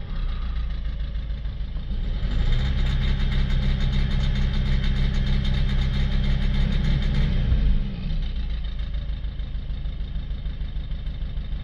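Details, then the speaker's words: Citroën C4 Picasso 1.6 diesel, bonnet open, fault P0265 injector 2 circuit short, no response from injector 2: lumpy shaking idle, at full throttle flat drone that won't exceed about 1,800 rpm; misfire from dead injector. "So, we haven't got any sort of response from injector number two. It gets worse if you try and accelerate it. Yeah, that's a full That's full acceleration. Won't go past sort of 1,800 RPM."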